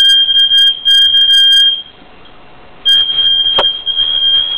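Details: Apartment building fire alarm, recorded while wearing shooting earmuffs, going off for 30 minutes: shrill high-pitched tone in long repeated blasts with short pauses; fire alarm sounding.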